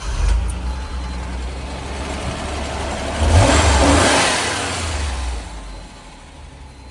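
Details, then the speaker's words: Ford Granada Scorpio Mk3, started after only fitting a battery: engine catches and runs smooth with a clean blip of revs, then settles evenly with no tapping; owner thinks the tappets are mechanical; healthy running. "oh she's an absolute Min at that no tapping barely any tapping I think the're mechanical on these you know"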